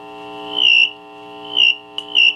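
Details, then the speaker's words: General Electric C-403A tube radio with RF return-path capacitor disconnected: steady high whistle near 3 kHz breaking into bird-like chirps, front-end oscillation. "you know you know when you hear that bird chirping usually it's in them in the front end of the radio"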